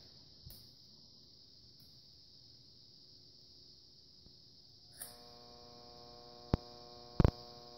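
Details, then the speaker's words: Monitor Audio RSW12 subwoofer gives a low steady hum at power-on with no signal, caused by a failing power-supply filter capacitor found with a voltmeter and verified by ESR meter. "but the problem is it has this low hum to the audio"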